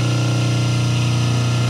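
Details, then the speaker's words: 5 hp three-phase motor on single-phase 220 V before capacitor balancing: loud, steady low buzz from unbalanced line voltages (about 189, 187 and 385 V); motor expected to run hot and weak, may trip the house breaker. "the change of power in the house will cause me to tripa breaker the voltage difference, I'm going to show you here, it's going to be quite big"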